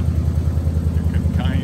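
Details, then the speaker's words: 1971 Chevrolet Monte Carlo, 350 V8, automatic: low idle with a pulsing, uneven beat as a cylinder drops out; a misfire, suspected to be a valve issue from sitting, possibly needing a valve job. "you know the engine sounds good but it does have a miss so i'm guessing we got a bell probably from sitting probably a valve job might get by with it"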